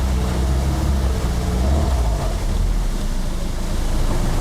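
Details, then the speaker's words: 1974 VIP 15-foot tri-hull runabout with Mercruiser 3.0, after new Pertronix coil and distributor module; in gear near 2000 rpm the drone sags, stumbles and pops and won't get on plane; idle is fine; timing checked next, cause not pinned down. "Uh-oh. Ooh, popping. Not good. Not good. Not good. Idle's fine. Doesn't seem to want to get up on plane."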